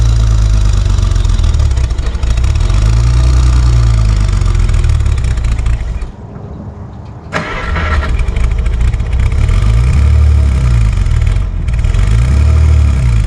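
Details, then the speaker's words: 1955 Plymouth Plaza wagon, previously locked-up engine, first drive after 42 years sitting, in first gear: engine catches, runs roughly, sags and dies, restarts; keeps stalling under load, tight brakes suspected. "I'm not really sure what's going on. It keeps on dying. Yeah, it just keeps on dying."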